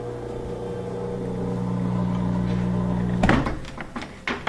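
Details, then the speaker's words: Whirlpool front-load washer with a blinking door-locked light and unresponsive controls: drain pump hums steadily, then cuts off with a click and clatter when power is killed; pump keeps running, drain suspected blocked. "You can hear the drain's active. It's trying to drain. So could be that the drain's blocked."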